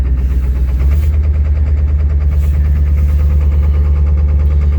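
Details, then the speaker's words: 7.3 diesel pickup on a cold start after sitting 2–3 days below freezing without being plugged in, held at high idle: a deep drone with an uneven, lumpy beat. Owner suspects gelled fuel. "Almost acts like the fuel's gelled up on it or something. I put $40 in it before I parked it. That sounds exactly like gelled fuel."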